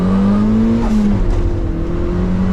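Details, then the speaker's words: 1994 Mazda MX5 Miata, stock 1.8L turbo at 5 psi, after exhaust leaks were fixed and a 2.5-inch cat and resonator delete with a Racing Beat muffler was fitted, pulling hard from 10 mph: a smooth drone climbing in pitch with no rattle. "yeah so it definitely sounds a lot better than it did I like it it doesn't rattle"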